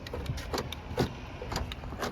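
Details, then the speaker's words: Door lock actuator on a 2005 Nissan Frontier, just after replacement and reconnecting the connector: a few crisp, even clicks about half a second apart with no dragging or buzzing; the new actuator cycles properly. "make sure it clicks and now you hear that it works guys look at that"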